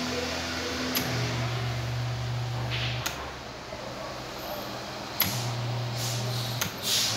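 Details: Britânia Turbo fan after bearing conversion, with an extra washer added to cure a harsh noise: steady airflow rush over a low, even motor hum, no rubbing or rattle; normal running.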